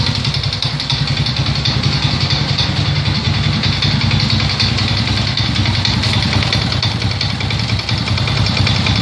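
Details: Idling single-cylinder engine of an Alfa 110 moped knocks with a sharp metallic tapping over the steady low putter, even after the crankshaft was replaced; cause unknown.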